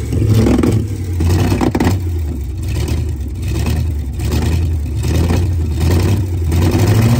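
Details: Four-wheel Alvis Stalwart petrol engine, first time driven in over 30 years, throttle linked by twine to the original pedal: deep, steady low rumble with an even beat, no knocks or rattles, oil pressure up; normal running.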